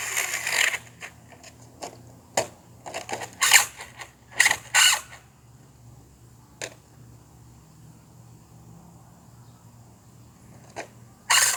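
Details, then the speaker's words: RC car: sharp bursts of rapid clicking and ratcheting in irregular spurts like gears skipping teeth; throttle applied but car doesn't move, something wrong. "oh god what just happened oh god i'm pressing the gas but it's not doing nothing that ain't good"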